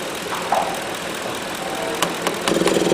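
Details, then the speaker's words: 2010 Ford F150, capless fuel inlet message and P0457 EVAP gross leak code, idling: purge solenoid sticks at 50% command, then a tap frees it and quick even clicking starts as it cycles; sticking purge solenoid is the cause. "Now she's stuck again. I just commanded it 50%."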